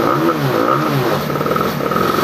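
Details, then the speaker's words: Honda Vario 150 eSP scooter, after a spark plug change, still stutters at low throttle: revs climb unevenly with a wavering, stumbling note; fuel pump pressure steady at 40; cause not yet found, fuel filter next suspected. "Untuk bagian gasnya ya, ini gas bawahnya ini berbed seperti ini. Apa masalah pada Vario ini ya? Sampai terjadi berbed seperti ini."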